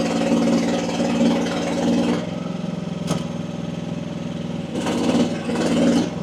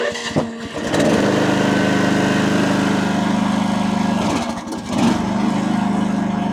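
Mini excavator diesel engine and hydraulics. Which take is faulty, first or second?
second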